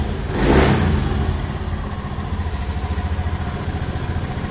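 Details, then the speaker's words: Motorcycle after CKP error code 52 troubleshooting, CKP wire connected to fuel pump relay line: quick throttle blip then steady even idle, running normally; suspected fault in ECU ground driving the relay. "ini sudah normal kita matikan dulu"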